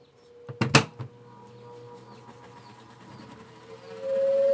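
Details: Mueller centrifugal clothes spinner, customer complaint it only hummed without spinning, after repair and reassembly: lid thuds, pause, then even motor hum rising in pitch as drum spins up cleanly. Normal spin-up.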